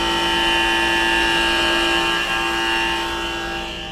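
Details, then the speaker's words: Rooftop pool dehumidifier with a Trane 3D Scroll compressor, about five years old: a steady humming whine with several tones whose loudness swells and fades. The compressor has become noisy and worn; cause not yet found, quieter with the panel closed. "doesn't want to do that oscillating sound that's been doing staying pretty steady but no no about 12 feet away my compressor boys that's a bad thing"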